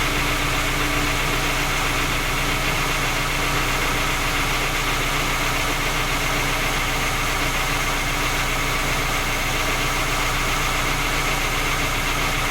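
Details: Skoda Octavia A5 facelift 1.6 MPI at cold idle: loose, irregular tapping about twice a second over the engine note; three engine repairs, fault not found, still knocks.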